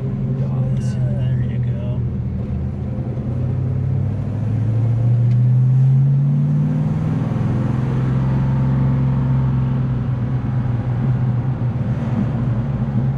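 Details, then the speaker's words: 1970 Dodge Dart Swinger 340 V8, 4-speed, warm, rebuilt after catastrophic engine failure, carburetor reassembled by guesswork: deep rumble with an uneven loping beat, lumpy idle possibly sitting a little high; owner expects to tune it out. "awesome so yeah hopefully you can tune some of that lumpiness out oh yeah it will it'll go it's uh sounds like it's chomping at the bit maybe it's idling a little high anyway"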